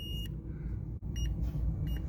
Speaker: I've got one lead in the connector to Green kind of like solid green the other to green yellow which makes no effing sense and my multimeter is sending out Morris code